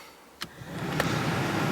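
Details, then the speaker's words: Mk3 Toyota Supra heater/AC blower motor, just fixed after vents blew no air: a steady airy whoosh builds smoothly and holds an even pitch; speed one dead but two and three work, so a new resistor pack is likely needed; normal blower fan operation. "two's working oh and three is working as well so it looks like we may need to fit a new resistor pack"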